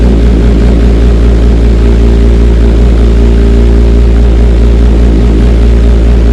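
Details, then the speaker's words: Kawasaki ZX6R with decatted stock header and slip-on installed, idling: deep, steady burble with loud open exhaust note and even firing pulses; healthy, free-flowing. "Yeah, she definitely sounds way better, and I can tell it's breathing so much better."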